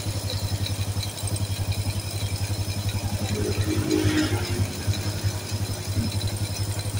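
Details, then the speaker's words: Supra-style motorcycle with non-Honda "Turbo" engine that smoked white from exhaust: steady idle putter about four beats a second with light mechanical clatter; rumble said to be oil rising to the head; idles healthily during no-cost smoke fix. "ada suara gemuruh ya suara gemuruh itu oli yang naik Ya mulai naik dari bagian jalur sini ke bagian head ya"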